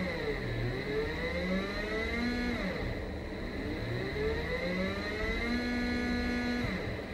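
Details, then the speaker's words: Brushless 3-phase motor on a WS55-220 driver at 30 V, sensorless, potentiometer speed control, soft slow start: smooth electric whine climbing and falling as speed changes, no grinding or stutter; runs healthy. "you probably can hear the noise even though I'm trying to run it fast it starts slowly so they have a nice algorithm"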